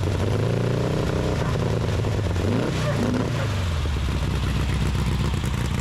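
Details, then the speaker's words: 1835cc air-cooled VW Beetle rally engine with a Fuel link ECU, after oil-leak repair with new O-rings. It catches and settles into a steady, even rumble with no misses or knocks; healthy start and idle, no leaks. "Starts right up and no leaks. I think we're good to go."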